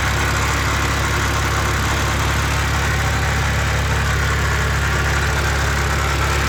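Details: 2006 BMW Z4 Coupe 3.0si, N52 engine: steady low drone at idle with faint uneven ticking underneath, gone when revved; idle-only noise, cause unknown.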